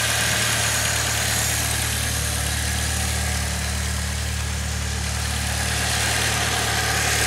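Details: 2006 Saab 9-3 2.0T turbo four, 189,000 miles, after valve cover gasket replacement: even, steady idle with a smooth low pulse and some hiss up top, no ticks or knocks. Normal healthy idle.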